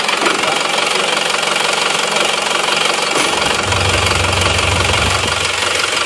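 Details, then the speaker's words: Isuzu Panther LS automatic diesel, after its fourth engine teardown in seven months, idling on an oversized racing RH13 injection pump rotor head: hard, fairly regular knock near 230 per minute, smoky exhaust; rough idle from the oversized rotor head, before fitting the stock rotor head. "ini hidupnya mesinnya masih pakai rh13 suaranya seperti ini nanti akan kita bandingkan dengan yang bospom yang standarnya ya"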